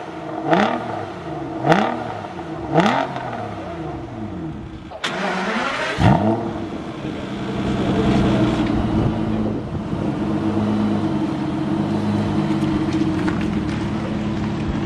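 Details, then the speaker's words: Crash-damaged Aston Martin DB9 V12 manual with no dash warning lights: several sharp throttle blips, then revs drop away and nearly die before catching into a rough idle; it cuts out as soon as revving stops. "although there's no warning lights on the dash if you rev it as soon as you stop revving it it cuts out so that's a problem"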